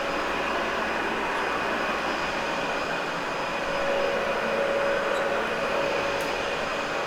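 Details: Cleaned, practically brand-new Dyson UP13 upright vacuum: steady, even whoosh of airflow with a constant mid-pitched motor tone, no surging or rattles; normal running.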